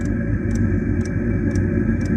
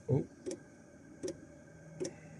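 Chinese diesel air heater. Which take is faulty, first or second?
second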